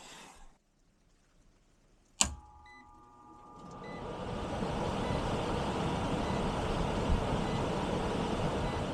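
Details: Ancient heat pump air handler after blower capacitor replacement: sharp click, then blower spools up over a couple of seconds into a steady, even airy rush with no rattle or hum; door open so free-running, drawing 1.5 A of 2.63 A full load; normal.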